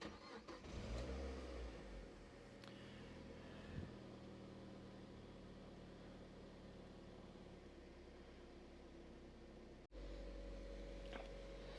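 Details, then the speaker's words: Copart-bought Mazda MX5 NC first start: catches quickly, flares briefly, settles into even steady idle with no misses, rattles or smoke; healthy. "this sounds way less agricultural than the the last one no smoke let's give it a bit of rev"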